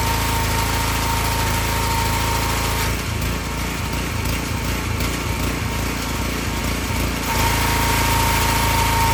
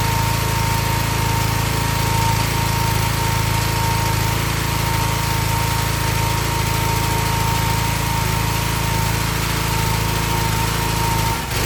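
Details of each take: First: Excel XR2500 pressure washer with 5 hp Honda engine that used to run 15 seconds then stall: after replacing bad spark plug, steady even drone briefly dipping under load and recovering; runs smoothly, no stalling. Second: Excell XR2500 pressure washer (DeVilBiss) with 5 hp Honda engine runs fine about 10–15 seconds, then hesitates, stumbles and cuts out, nearly stalling or catching itself again; cause was a bad NGK spark plug, not the carburetor.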